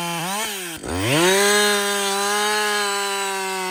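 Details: Husqvarna 562XP 60cc chainsaw, warm, restarted without fast idle after about two-thirds of a tank bucking windfall. Catches at once and climbs cleanly to a steady high-revving note, holding smoothly under cut. Runs right; new carburetor advised, leak-down test found no air leaks.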